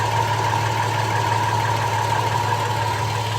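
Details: 2007 Toyota Tacoma 4.0L 1GR-FE V6, 240,000 miles, synthetic oil: light uneven knock about three per second at idle, starting 2–3 minutes into warm-up and fading once fully warm. Louder near driver-side catalytic converter after oxygen sensor; owner suspects piston slap, unconfirmed.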